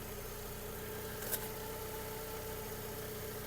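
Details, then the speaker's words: 2008 VW Golf 5, 1.6 MPI petrol, 187,000 km: quiet, even idle with a steady low hum and no stumble, misfire or knock. Engine running normally with no smoke. "Мотор працює тихо рівно не димить не троїть"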